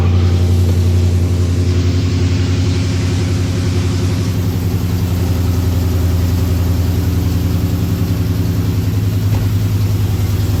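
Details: Scat-swapped V8 idling after installing new intake manifold (old one had stripped screws, reading too much air); deep steady burble with even low beat, no pops or stumbles that it previously had on startup; normal idle.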